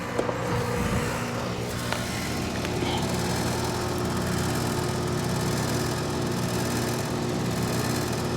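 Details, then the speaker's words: Carrier AC condenser on a no-cooling call, bedroom-side unit where only the indoor fan ran; compressor starts: steady, even hum, no clicking or labouring, mower droning nearby; normal compressor running. "now let's see if we can get that beautiful compressor sound so this should start going down to about a hundred on my suction like i said we should get that all good compressive sound yep already"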